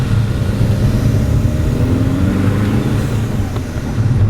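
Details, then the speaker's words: Seat Leon FR diesel on first drive after engine swap with new clutch, flywheel, cambelt and different turbo, windows open: deep drone climbing steadily under load through road and wind noise, no flat spots; feels good, though owner notices restriction around 2,700–3,000 rpm. "I don't know if this is coming across on camera I've got all the windows open so I do apologize if the road noise is quite loud but this feels lovely boys this feels lovely"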